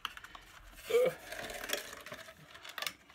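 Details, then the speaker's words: Anet A8 3D printer unboxing: moving the power supply gives short metallic clinks and a brief scrape; one of its screws came out and is suspected loose inside the supply case. "that didn't sound good power supply duh well that doesn't sound good at all there's something moving around in there here oh I can see one of the screws came out I bet there's a screw in there"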